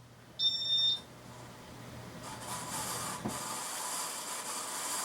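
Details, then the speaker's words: c.1994 Casablanca Montclair ceiling fan with heavy blades, before restoration: a beep, then a hissing, whirring rush that grows louder. Super loud worn bearings, and a flywheel that seems cracked and needs replacing. "can hear the super loud bearings. And because of the heavy blades, the flywheel is like cracked or something, so it needs to be replaced. Super loud bearings."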